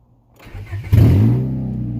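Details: 1996 Honda Prelude Si H23A1, first start after an engine install, second attempt after plugging forgotten vacuum lines, in neutral, on old fuel: brief cranking, then it catches with a bark and settles into a steady low idle.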